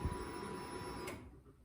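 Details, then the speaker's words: Datsun 240Z with new Holley dual 450 LPH drop-in fuel pump kit, front pump switched on with the rear pump's power and ground wires: steady high-pitched electric hum and faint whine for about a second, then a click; pump working. "Hit the switch, fuel pump comes on."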